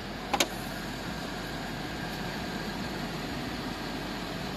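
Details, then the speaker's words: 2004 Mercedes-Benz W211 E260 Elegance with 42,000 km, at startup: after one brief click it settles into a quiet, even, steady idle with no knocks or misses and zero vibration; the buyer agrees it is very smooth. "Suara mesinnya saat gua starter halus banget nggak? Halus. Halus banget. Kata dia halus banget."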